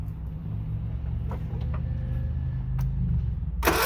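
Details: John Deere 16 HP mower (140 psi compression) after the carburetor was refitted, air filter off: low steady drone with an even beat building; the engine fires and keeps running.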